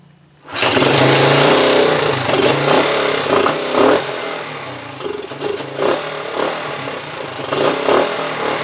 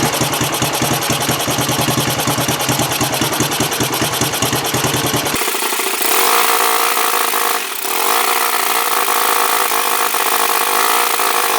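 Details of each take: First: 1974 Honda TL125 single after carburetor cleaning, before points, timing or other work: hunts unevenly at idle with surging revs and pops from exhaust and carburetor; unsteady idle, cause unknown. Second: 1974 Honda TL125 single after cleaned points, timing set, carb cleaned and fresh gas: quick, even putt-putt idle with no skips or pops, revs rise cleanly; running much better.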